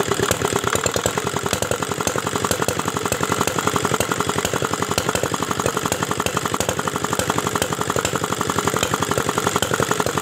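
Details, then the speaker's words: Dongfeng R175 single-cylinder diesel, previously disassembled by its owner, after bleeding fuel: chugs unevenly with an irregular clattering knock, no steady throttle, a little smoke from the crank hole; connecting rod bushing knock. "nah ini hasilnya jadi seperti ini nih tidak enak sekali ya suaranya tidak ada gas kontannya kemudian suaranya tidak rata"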